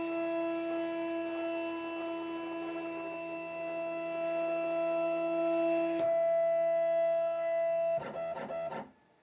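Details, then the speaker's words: New Shapeoko 5 Pro 2x4 CNC initializing after reconnecting, with a few-second lag before homing; steady clean motor tones then short stepping bursts as axes move; normal homing. "And this is what I'm talking about, this lag time here. So only a few seconds, but that's new."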